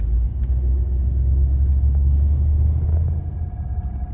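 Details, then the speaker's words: 1985 Chevrolet Caprice Classic, 5.0L 305 V8, about 152,730 miles, on a test drive after EGR valve replacement. Stopped in gear with the air conditioning on, it idles with a steady low rumble, no hunting, stumbling or stalling. "now we have the air conditioning running come to a stop again in gear and it's idling fine too this is great"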